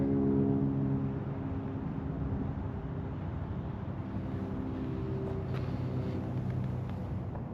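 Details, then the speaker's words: 2003 Ford F150 Lightning tuned on E85, with a Bassani muffler, J&L catch can, ice box and AFCO heat exchanger: deep, throaty burble settling from a brief rev into a steady, even idle, no misses or tapping; healthy start. "I'm gonna have him turn it on so you guys could hear what this truck sounds like. Has a Bassani muffler."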